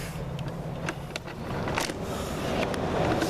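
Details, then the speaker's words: Cummins diesel in a 1942 Chevy truck after sitting: quick uneven cranking beat, three or four per second, with soft strokes and no firm compression pulses. Owner suspects a stuck-open valve; injector pump power and prime not yet checked. "i can hear a lack of compression when it turns over so that's not good"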